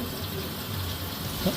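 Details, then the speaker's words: After heating pipe leak repair at two burst connection spots: steady, even rush of running water from the tap with no sputtering, banging or air hiss; cold and hot water both flow normally. "냉수 온수 다 잘 놓옵니다."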